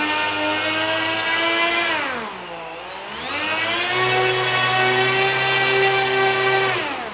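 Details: Dynam Messerschmitt BF-110 RC plane on 4S with two ESCs and aggressively pitched props, ground throttle run-up: two smooth motor tones rise and fall together, then hold steady, with slight vibration. Normal motor run-up.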